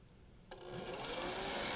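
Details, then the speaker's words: Zero Breeze portable vapor-compression air conditioner just switched on: two fans and a small compressor whir up to an even hiss and hum, with light clicking from the compressor pistons, not too loud; normal operation, blowing cold air. "you can hear it turned on the two fans and the compressor the compressor is making you know it's like a rotary compressor so it makes you can hear it the clicking when the Pistons going up and down but it's it's not so bad"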